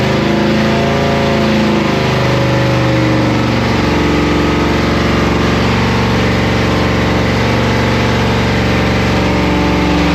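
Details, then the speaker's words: 1995 Pontiac Firebird Firehawk LT1 V8 with an existing bad rod knock revs and runs rough, a knock under the drone, during a torture test with oil and coolant drained; flames came out after. "It has a sounds like a a rod knocking really bad. So, we're going to torture test."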